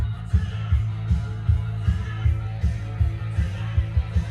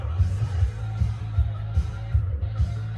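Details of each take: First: Cassette that had stalled from poor pinch roller and capstan traction, after the pressure pad was replaced and the tape cleaned with alcohol and dried overnight: music plays at steady pitch with no dropouts or dragging, no longer stalling. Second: Cassette tape with slipping grip between pinch roller and capstan; low thumping playback pulses unevenly about 2.5 times a second with wavering pitch and stalling. The player's idlers are good; the cassette is suspected to have an oily layer.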